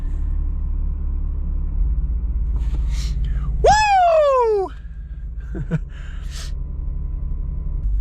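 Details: 2000 Buick Park Avenue idling while warming up, just after the faulty ignition control module harness was fixed: steady low idle rumble, even and unbroken under a brief shout; normal idle after the repair.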